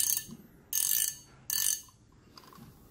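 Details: Reel no. 6, a 9500 with 4.2:1 gear ratio and power handle: crisp, even ratcheting clicks in short bursts as the spool turns, sharp uniform tick, no grit; clicker healthy, works smoothly without wobble.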